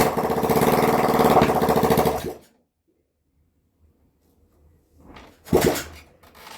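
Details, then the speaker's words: Rebuilt spare Honda CB125RS single-cylinder engine with points ignition sparking onto the back plate and a missing seal: runs choppy about two seconds then dies when turned down to idle; rough running and stalling. "Whenever I turn it down to just idle, it stops."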